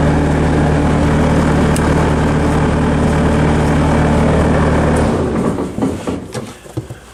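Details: 90s Bobcat 763 C-series with failed BICS computer, bypassed, Hi-Flo hydraulics engaged. Diesel holds a steady, even rumble with no bogging or speed dip, then fades out; healthy under load.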